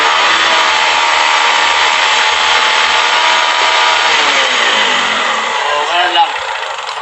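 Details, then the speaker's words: Kawasaki Rouser 135 that was dying at stops, after the ignition coil supply wiring at the CDI was joined together: engine holds a steady, uninterrupted note, then winds down smoothly with no cutting out. Ignition now firing consistently. "ngayon paandarin natin dapat hindi siya napuputol antin natin ang lakas ba wala ng putol oh"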